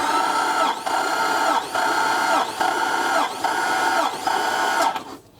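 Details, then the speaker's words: 1972 Holden HZ with 3.8L Ecotech V6 that won't start, compression test via remote starter button: starter whirs with even labouring pulses; first side reads 175–180 psi; normal cranking compression. "Okay, we're at 180 for that first cylinder there. So this side's all pretty good, 175 to 180."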